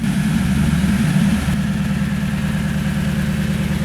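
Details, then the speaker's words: 2010 Toyota Tundra 5.7L V8 with new Flowmaster 717786 FlowFX exhaust, idling with the microphone close up: deep, mellow, even rumble with a steady low beat and faint fan whir; normal healthy idle. "And that's kind of what I'm looking for, just a deep rumble."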